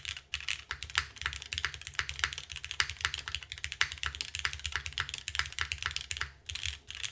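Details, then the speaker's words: KBDFans TOFU TKL, gasket mount with Cherry MX2A Black switches and GMK Sloth keycaps, after shifting keyboard to reseat a plate tab: quick even keystrokes, crisp top click, soft low thud; sounds healthy. "So this is gaskets with MX2A. I mean, this sounds fantastic."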